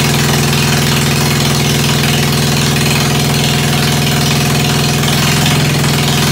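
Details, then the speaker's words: Ford 100 tractor running after a tune-up and a starter-ether start: loud, steady even beat with no misfires or knocking, running really well; normal running. "I wanted to work it good it's running really good"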